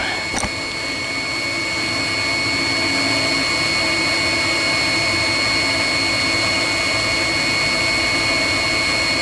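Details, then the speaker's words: 16 kW Chinese diesel water heater (engine block preheater) for cabin radiators, in shutdown sequence with pump running an extra 30 seconds to circulate coolant; steady high fan whir winding down, no knocks or rattles; normal heater shutdown. "it as it shuts down it will leave the pump running for an extra 30 seconds so it keep circulating liquid once everything else has been switched off any second now and that's it"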